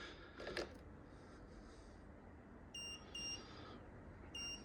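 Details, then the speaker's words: Jump pack (3,000) connected to a dead project vehicle's battery: short high double beeps every second or so warn the battery is completely flat, requiring the Boost button before cranking. "see that bleeping you can hear means that that is completely dead flat so I've got to press the Boost button until it clicks"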